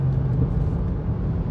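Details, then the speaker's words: Rebuilt Chrysler 300C cruising on smooth road, air conditioning off: low steady rumbling growl like a mud tire hum, plus sway bar link rattle and ABS/ESP light on; wheel bearing growl. "um but the growl if you can hear that kind of sounds like a mud tire um"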